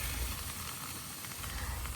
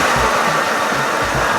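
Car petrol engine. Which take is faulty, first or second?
first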